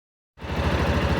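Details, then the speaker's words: Yamaha Ténéré 250 engine idling with a quick, even "tec tec" ticking rattle over the idle beat; owner, not a mechanic, attributes it after research to the cam chain tensioner. "o responsável por esse barulho é esse cara aqui ó o tensor da corrente de comando aqui ó"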